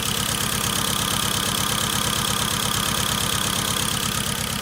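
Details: 2013 Hyundai Genesis Coupe 2.0T premium: uneven, lumpy idle with a steady stumble about three times a second, misfire from cylinder 4 with no compression; dealer suspects a hole in the piston.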